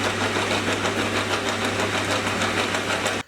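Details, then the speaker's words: Hafco-type lathe spur-gear headstock gives loud, harsh gear clatter over a steady hum, pulsing about twice a second from a loose motor pulley rattling; little mass to contain the gear noise. "now I'm pretty sure it's mostly down to the fact that there isn't a whole lot of Mass to contain the gear noise and Spur Gears which is what this machine uses are probably the loudest type of meshing Gears that you can find"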